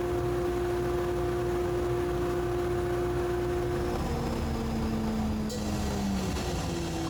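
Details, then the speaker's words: Woodturning workshop dust collector: steady motor hum, then the tone drops and slides lower as the fan coasts down after switch-off; an ordinary, even spin-down. "that's the dust collector cyle Ling down"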